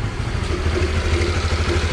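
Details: Honda RS150R single at idle: rapid even tapping over idle, steady with no rev change, a breathing-like knocking; broken cam chain tensioner, needing replacement.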